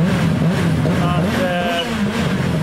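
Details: 1998 WRC Toyota rally car after a broken valve in the turbo fresh-air system was fixed: strong, even revving with no stutter or missing beats; the earlier misfire is gone.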